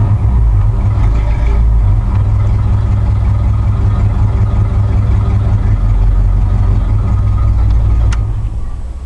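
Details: 1986 K5 Blazer not started for about two weeks: after a hard start, an uneven, lumpy, stumbling idle with no smooth rhythm; it is running on only four cylinders.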